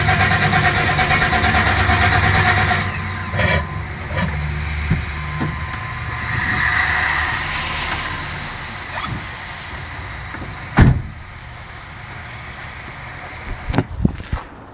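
Starter turns the engine over in repeated bursts with no firing or catch between attempts; cranks but won't start.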